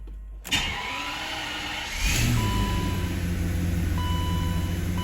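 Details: 1990 BMW 750iL (E32), not started for a few days, cold start: the starter catches quickly, the engine flares up and settles into a smooth, even idle with a faint whirr on top, a clean normal cold start.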